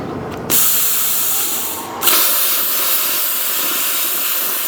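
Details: Plasma cutter after replacing its faulty 220V plug, doing a test cut: loud, steady air-and-arc hiss starts sharply and holds evenly with no sputtering or dropouts. Normal cutting.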